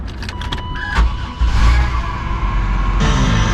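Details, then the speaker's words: Vehicle at a Florida dealer auction, 90,000 miles, leaking and moldy inside: a few clicks, then the engine catches and settles into a low, even hum with no misses or knocks. Normal idle. "Oh, she's got 90,000 miles. She's purring, baby. Frickin' A. Dude, she purrs."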